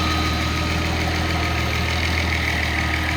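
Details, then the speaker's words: Nissan L28ET turbo engine with a Ford idle air control valve driven by a VG30ET controller, warm with AC on: even, steady idle around 800 rpm with a smooth low drone, no dips or hunting; normal idle. "it's maintaining the idle right around 800 there"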